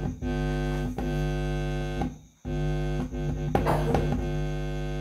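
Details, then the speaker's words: Sony active speaker with no sound but indicator light on: touching the output stage (final) input gives a steady low buzzing hum with strong overtones, dropping out and returning; output stage still good. "ya Oke berarti finalnya masih dalam keadaan baik-baik saja"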